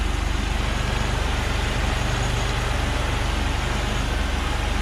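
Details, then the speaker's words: Car with 199,000 miles, needs a transmission, idling: steady even idle pulse about four beats a second with no knocks or misses; normal idle. "Sounds good. It's not running bad at all, really, for having 199,000 miles on it."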